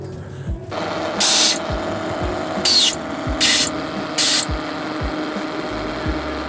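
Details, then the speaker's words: Drag car nitrous purge tested at full throttle with the system armed: four short, thin hissing bursts over the running engine, a weak purge; both nitrous bottles were found closed, explaining the lack of time gained. "Seems kind of weak and not what I would expect. Seems, yeah, it sounds like low tank. Oh, that'll help. Okay, so both nitrous tanks were closed, which explains why we weren't shaving any time hitting the nitrous."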